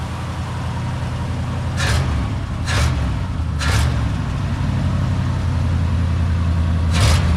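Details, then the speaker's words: 1955 Buick Super V8 being revived, idling cold to warm up and test water pump, oil pressure normal to high, ammeter charging; low, steady, even idle rumble with no knocks or misses, running smoothly. "So it's running right now. Oil pressure says that it's normal to almost high."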